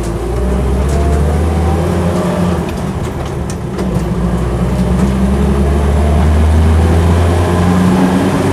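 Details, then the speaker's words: 1974/75 Land Rover Series III 88in short-wheelbase petrol soft top under full-throttle acceleration on the road: deep, strong, steady pull with no pinking and no hesitation. Normal, healthy acceleration. "full thr acceleration so it's not um pinking or making any any hesitancy at all it's just getting on with it I like it I like it a lot"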